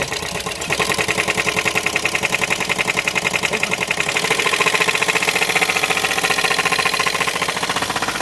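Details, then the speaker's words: Hyundai Verna Fluidic diesel with an unopened second-hand engine fitted one month earlier: hard, steady metallic knocking at about three to four per second over the idle, from crankshaft damage (crankshaft bearing knock). "ஒரு லட்ச ரூபாய்க்கு போட்டு ஒரு மாசத்துலயே இன்ஜின்ல கடகடன்னு கிராங் noise வந்துருச்சு."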